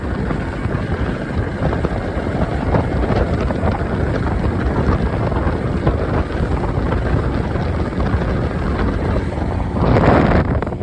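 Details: Mercury 115 outboard after repair of a bad injector and shift switch: steady, even drone under wind and water noise with no misfire or stumble; normal running.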